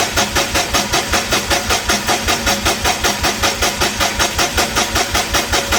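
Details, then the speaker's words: Perkins D3.152 diesel in a 1984 Lincoln SA250 welder, freshly rebuilt, first crank after install, injection pump off so no fuel, cranking to build oil pressure; fast even starter chug about four beats a second, no firing — normal cranking, oil pressure reached. "We'll go ahead and crank it for a bit. See if we can build some oil pressure. Pump is still off, so we shouldn't have fuel in the injectors."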